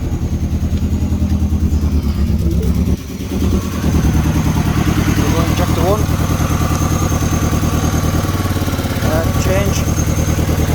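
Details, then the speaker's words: Mini Cooper after cylinder head refit idling with lumpy beat and recurring dropped pulse: cylinder one misfire. Injector swap to four made no change, so ignition coil one failed and needs replacing. "i was saying inject i wanna coil one there was no change it milked straight there so we need to replace the the coil"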